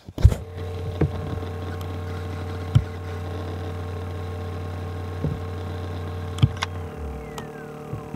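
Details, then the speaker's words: Acer Aspire laptop: low steady hard drive spindle hum with a few clicks, then the hum drops away as the drive spins down on its own; cause unknown (drive, motherboard or EFI suspected). "you hear it just go to sleep like did you just hear just spindle down"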